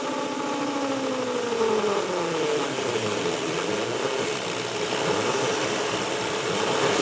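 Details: Micro hydro turbine, after resealing the base, fixing gauge drips and sorting the inlet filters: a steady whir slides upward as it spins up, then holds even with water rushing behind. It runs leak-free into an EcoFlow Delta Pro, which is limited to 150 V input. Normal running.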